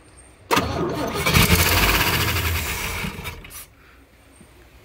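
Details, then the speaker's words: 1959 Chevrolet Apache 3100 pickup, start attempt after over 20 years of sitting: about three seconds of steady cranking, it tries to catch and sputters but won't keep running. "okay here getting ready to start a 1957 Chevy for the first time in over it's a 59 Chevy in over 20 years got everything set up let's see what we can get going"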